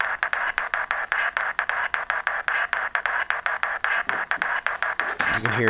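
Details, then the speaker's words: Athearn locomotive converted DC to DCC with an old LokSound V3.5 decoder: prime mover engine sound comes out choppy, about four even bursts a second instead of a steady drone; horn works; owner suspects a faulty decoder sound slot. "I just have to work on that prime mover sound I'm not sure why it does that"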